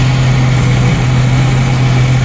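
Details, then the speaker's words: 1990 Jeep YJ 4.2L with a 5-speed, warming up during carburetor adjustment: a steady, even low drone idling at about 900 to 1,000 rpm with no misses or stumbles. The earlier miss is gone and it runs smoothly. "temperature's coming up it is running nice and smooth um no miss or anything like I've been having"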